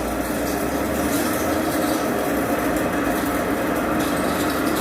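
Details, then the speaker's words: Window AC fan motor running: continuous rough, gravelly hum over a steady low tone from a worn, dry motor bearing; the motor is expected to jam and stop after about two minutes, so the bearing needs replacing. "आवाज बहुत आ रही थी इसलिए बंद कर दिया है है क्योंकि इसका बैरिंग खराब है"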